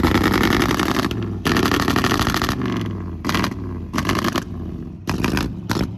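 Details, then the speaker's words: Carbureted project vehicle with a distributor just fitted and a loud clutch fan: ragged revs break into choppy bursts with popping and uneven firing on the throttle; running rough, too much timing suspected, possibly other issues. "Bro, that thing sounds like death from behind."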